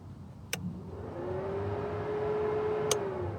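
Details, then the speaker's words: Datsun 510 after dual-carb to individual-throttle-body conversion, fan switch removed and radiator fan relay wired to be ECU-controlled; grounding the relay wire gives a sharp relay click, then the electric fan spins up to a steady hum; normal operation. "Not sure if it shows up on camera, but you can hear the relay ticking. And you can hear the fan come on."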